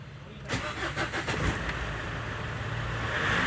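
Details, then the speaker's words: Ford Endeavour diesel that cranked but would not start without petrol being added, after bleeding the fuel system: cranks briefly, catches cleanly and settles into an even idle with no stumble. "the car is running now i'm gonna put it off and crank again"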